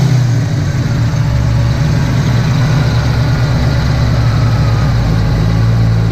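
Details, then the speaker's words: Ford Fox-body V8 with big cam, after fixing surging idle by setting timing by ear (harmonic balancer slipped, timing marks off): deep, even idle about 900 rpm with headlights and AC on, holding steady. "as you can hear cars running really good I'll show you a C's on headlights cars idling about 900 rpm"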